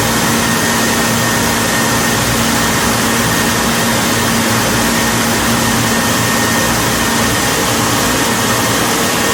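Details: Whirlpool dryer after drum roller kit replacement: steady even whoosh of air with a faint constant hum, no scraping or rhythmic thumping; drum turning smoothly and quietly; normal running.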